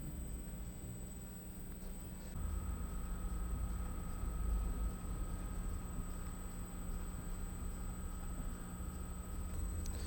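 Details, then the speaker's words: Induction motor driven by variable frequency drive, coupled to a permanent-magnet synchronous generator in a wind emulator, nearly pure inertial load, starting under Hand On: thin high drive whistle over even motor hum, no knocks; smooth healthy run. "Ahí vemos cómo comenzó a mover el motor. El motor está conectado a un generador, así que la carga es casi totalmente inercial."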